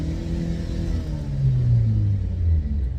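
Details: 2008 Opel Zafira B 1.8 petrol, front wheels raised and spun in gear: low droning hum rising in pitch with wheel speed, no clicks, heard on right side only, felt in steering wheel; worn front right hub bearing.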